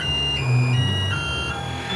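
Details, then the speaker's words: CNC mill (Mikini) on Mach, spindle off, running a spiral of line segments in a hole-pocketing program: low growl with stepped whining tones shifting pitch; stepper motors growling, cause unknown. "There seems to be like some growling or something."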